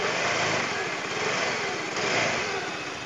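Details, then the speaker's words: Yamaha Mio M3 scooter that had a tok-tok noise appearing only with the timing chain fitted, after repair: light, buzzy single revs up and settles evenly with no tapping or knocking; normal revving. "Oh ya sini kayaknya halus nih Bro ya halus Oke Biasanya kalau timing muter memarkan bunyi ya tepat itu Ini udah nggak lagi udah normal kita gas"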